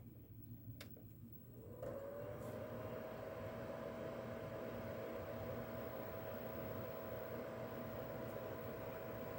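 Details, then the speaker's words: PS2 console's stock cooling fan at power-on, recorded before it is replaced with a new silent aftermarket fan; a steady mid-pitched whine rises and settles into a loud constant drone; loud cooling fan. "But I would like to show you just how loud the fan is now."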